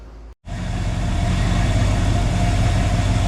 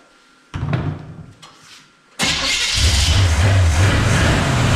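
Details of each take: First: 1966 Chrysler Newport convertible, revived after sitting for years, with replacement starter, timing set and trans fluid added: starts and settles into a steady, even low idle with no stumble and no smoke; running well. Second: 1966 Chrysler Newport V8, sat for years, weak battery: harsh rough grinding as the wrong starter chews on the flywheel while cranking before the engine catches and runs. A different, correct starter later sounded perfect.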